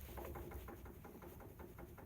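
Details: Removed control arm being rocked by hand: quiet, quick run of light clunks, about seven a second, from up-and-down play in the worn joint; worn control arm ball joint, arm is scrap.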